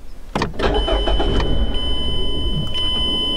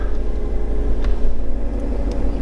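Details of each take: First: 2013 Mazda 3 Skyactiv 2.0 L, no trouble codes, strong crank. It catches and fires, then runs unevenly and dies. Disconnecting the mass airflow sensor let it run, so the MAF was faulty. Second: 2013 Mazda 3 SkyActiv 2.0 L that started then died, after a genuine replacement mass airflow sensor was installed: a deep, steady idle with an even rumble and no misses, surges or stalling; the engine now runs as it should.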